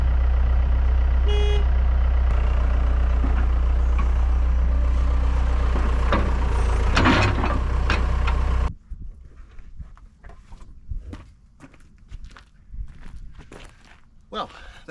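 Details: Kobelco SK120LC Mark V excavator, about 12 tons, around 7,000 hours, diesel running off the key after ignition wiring repair: deep, even rumble with a short horn toot near the start, then the noise drops away; runs smoothly.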